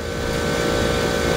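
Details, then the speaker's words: AAON rooftop package unit at a school that wasn't cooling the gym, after the repair: steady, even hum with a constant tone and windy whoosh, no knocks; unit running normally after the repair. "well there you have it running finally figure it out it took me a good time to find them for like two to three hours but i already figured out that next to the problem"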